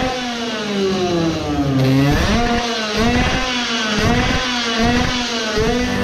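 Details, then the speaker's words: Tuned 20 hp two-stroke moped after carburettor modification, heavy vibration: revs rise and fall with repeated dropouts, sputtering a lot in neutral and feeling suffocated on pulls; misfire, owner suspects it now gets more fuel. "I think it clearly had some difference. it sputtered a lot on neutral that tells that it gets more fuel now, like I suspected it should do"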